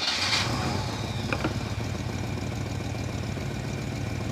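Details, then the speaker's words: 1960 Chevrolet El Camino, off the road for 30 years, fired up after head gasket work, a new starter, and new fuel lines to a rear tank: the engine catches and settles into a steady, even run with no knocks or misses while warming up, spilled ATF and oil cooking off the manifold. "It seems to be pulling fuel. So, all the old oil and grease and 58 gallons of ATF that I spilled, it's cooking off of the manifold."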